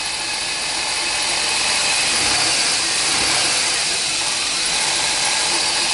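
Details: 2003 Chevy Astro 4.3 with intermittent crank no-start and P1626, new battery and fuel filter, about 10°F, after a start with valid passlock code: steady even idle, bright hiss over a soft regular pulse; no misfire, normal.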